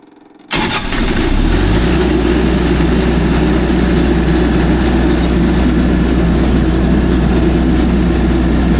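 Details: MEP803A 10 kW diesel military generator, low hours: quiet, then cranking catches and settles into a steady even idle rumble with no misses; normal start and idle.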